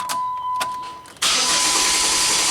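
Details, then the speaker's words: Dodge Nitro after belt work, cranking in clear flood mode (accelerator floored) for a relative compression test: strong, steady, even cranking whirr with no uneven beats; all cylinders 97–98%, compression healthy despite exhaust valve leakage, number 6 near 30%. "can hear how much better the way it cranks. Wow, look at that. Awesome."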